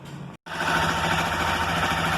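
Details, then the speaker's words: Motorcycle, cold engine, after replacing the faulty cam chain tensioner actuator and its gasket, which had caused cam chain noise: smooth, even idle with a steady light pulse and no ticking or rattling from the top end; normal idle. "Motor frio, motocicleta bem caladinha, sem nenhum barulho, beleza?"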